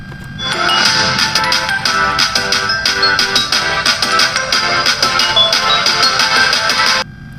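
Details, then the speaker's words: Intex home theater with a one-channel sound problem: on the good channel, clean, clear music plays evenly with no crackle, hum or distortion. This channel is working properly, unlike the red channel, whose sound is distorted. "तो आपने देखा कि जो इस channel पर है आवाज बिल्कुल प्रॉपर्टी मतलब डायरेक्टर ने बिल्कुल बढ़िया रही है"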